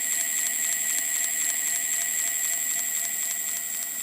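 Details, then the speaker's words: Ancheer e-bike hub motor after about 350 miles, with grinding on hills, spinning unloaded: a crisp tick about four times a second over a high electric whine. Owner suspects it is part of the problem; pressing on the circuit board stops it. "I noticed that at some point it it frequently makes like a clicking noise repeatedly repeated clicking noise and maybe that's like something a part of the problem"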